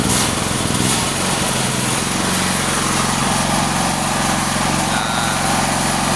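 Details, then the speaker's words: Honda SF 7000 DXE 220 V generator after carburettor service, throttle set to low rpm with choke partly closed to stop surging: low, even idle holding steady with no hunting, voltage stable; smooth low idle, suited only to light loads. "Langsap, suaranya halus, RPM rendah, tegangannya stabil."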